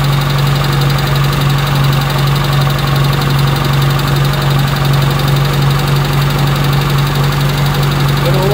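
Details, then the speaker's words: 1985 Toyota Tercel running cold after a carburetor swap and timing setup that kept ending a tooth off. An uneven, lumpy idle under a low drone. Rough running; owners suspect timing and advance settings, aiming to set timing at 10. "but that's probably why it's running like poo yeah so if it's said at 10 I'd say we're good"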